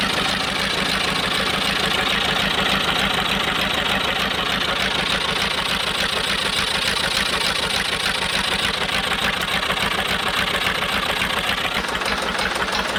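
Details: Cheap old Detroit two-stroke diesel dozer, sat with one cylinder full of water, running on only 2 of 4 cylinders; rough, lopsided stumbling idle about three beats per second while warming up: dead-cylinder misfire; owner plans honing while running with Bon Ami.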